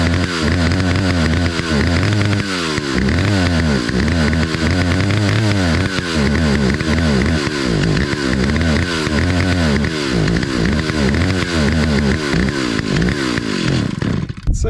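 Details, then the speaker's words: 43-year-old Stihl 028 Wood Boss chainsaw after reassembly: revs surge and sag in a ragged, hunting beat and it will not idle; the owner hopes the carburetor high and low speed adjustments are off and is opening the low speed. "adjustments are probably off I hope that's the issue so I'm going to open the low speed a little bit"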